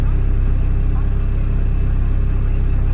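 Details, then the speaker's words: E91 wagon at idle with a weird cabin vibration: a deep, heavy drone pulsing about two beats a second inside the cabin. A scan flagged the MAP sensor; owner assumes the mass airflow sensor is junk and replaces it. Cause not confirmed. "Like, you see, I get this weird vibration in here. You know what I'm saying? I don't know if you guys hear that."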